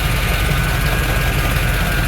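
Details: 1987 Chevrolet K5 Blazer 4x4, 305 V8 TBI, manual, stalls when warm at stops and low-speed turns; steady V8 idle with thin, high, constant whine over the rumble. Abnormal idle noise, source not identified; fuel issue suspected, no codes stored.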